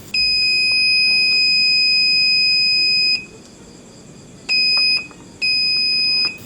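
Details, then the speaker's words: Aiwa CSD-SR545 stereo (2000s), left-channel 4-inch 3.2 ohm woofer tested in multimeter buzzer mode at the amplifier output socket: loud steady beeps show the coil is intact; fault suspected in the BA5417 power amplifier. "Speaker saluran kiri terdengar bunyi beep nyaring. Kondisi speaker masih normal."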